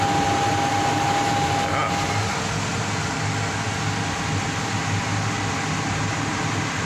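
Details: Payne furnace that had power but no heat, after cleaning, re-crimping a loose connection and bypassing a popped fuse for testing: smooth, steady inducer motor hum with constant tone, no rattles or scraping; normal inducer motor running.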